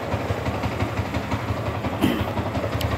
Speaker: dengarkan suara mesin rantai keteng masih aman ya masih oke